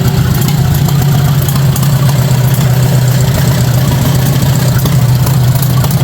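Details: 1953 Farmall Super A barn-find tractor, first start after carburetor cleaned (jets cleared, stuck float freed), bottle-fed gas; loud steady low drone at even pace, no misses or sputter, runs well.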